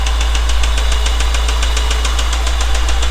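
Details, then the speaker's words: 1989 Honda Prelude 3rd gen, cold engine idling in neutral with manual gearbox: steady, sharp bottom-end knock about seven or eight times a second; owner suspects a damaged rod bearing, not confirmed. "yep this is rodnock"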